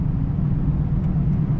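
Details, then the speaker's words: Chevrolet pickup driving after an axle installation: a steady low road rumble; the installed rear axle sounds far better than the old one, with no rock-like grinding; checked on throttle tip-in and let-off for pinion bearing noise. "so this you can tell this uh this one's far better than the other one already because it doesn't sound like a bunch of rocks inside a"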